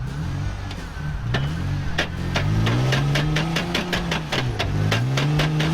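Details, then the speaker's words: Toyota Tacoma 4x4 with a previously broken front end, now run in two-wheel drive, also with head gasket problems: sharp clicks about three a second over a speed-dependent whine. Front axle damage is suspected. "So if you remember, back when we were dealing with the yellow Submarine, we broke the front end in this truck. That sounds bad."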